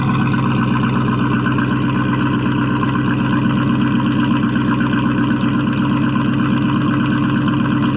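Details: 1979 Chevrolet C10 Bonanza Big 10, 305 two-barrel V8, runs and drives: loud lumpy burble about four pulses a second, steady with no knocks or misses; healthy idle, just loud exhaust.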